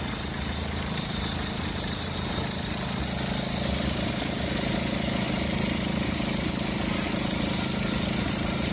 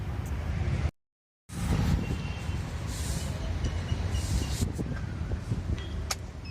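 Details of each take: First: Engine at idle with a thin, steady high-pitched squeal, likely the fan belt. Suggested checks: a loose or cut belt, household powder on the belt, or else the alternator pulley or adjuster bearing. Cause not confirmed. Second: Engine at steady idle after household powder was applied to the fan belt to stop its squeak: even and smooth, with no belt squeal or chirp.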